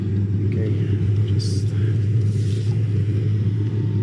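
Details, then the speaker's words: Eberspächer Airtronic D2 diesel heater after service and a new burner chamber, previously only smoking without firing: after about four minutes it stabilizes in power mode at 100% output, with a steady, even low roar, no smoke; normal running. "okay so now the heater after maybe four minutes it's stabilized everything is working fine it switched to power mode"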